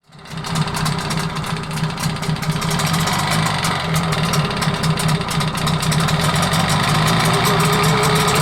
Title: Стук в моторе непонятный